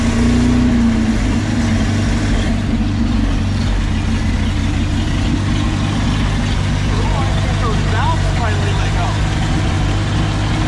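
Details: 1952 Packard 327 straight-eight, exhaust down tube removed (loud open exhaust) and vacuum leak plugged: low, steady idle with even beat, no misses or popping; smooth normal idle, oil pressure about 20.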